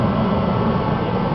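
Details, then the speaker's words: Rebuilt Mr Heater Contractor Series torpedo heater, pump pressure about 8 psi, fired right up; strong steady roar without surging or popping, burner running normally. "got spark fired right up folks fires right up no problems you hear it"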